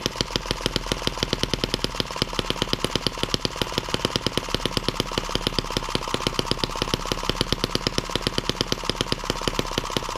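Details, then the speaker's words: Small M17B model engine on first start after unboxing: fires in a rapid, sharp, perfectly even clatter at steady speed, loud for its size but running clean; normal running. "all right we'll put it back about where it was running at turn it on and see if it'll start for us again noisy little thing"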